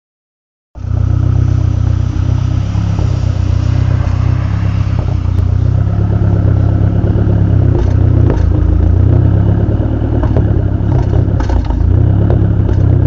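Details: SRT-4 idling: loud low idle that surges and stumbles unevenly with a lumpy, inconsistent beat. A misfire causing a rough idle, cause unknown.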